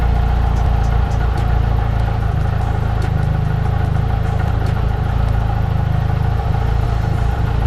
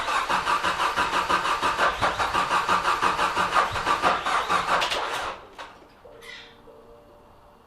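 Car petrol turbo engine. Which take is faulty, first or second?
second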